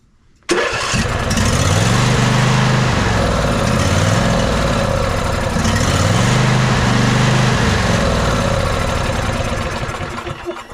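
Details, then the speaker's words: Ariens 20 hp riding mower, sat unknown time, fuel pump flows: starter churns three to four pulses a second for ten seconds, never fires; carburetor suspected gummed up or bad fuel solenoid. "looks like this one is going to need some addressing to the carburetor now that the Hood's off let's see what kind of condition this carburetor is in that it's not working at all it could be just that the solenoid is bad or that it's all gummed up"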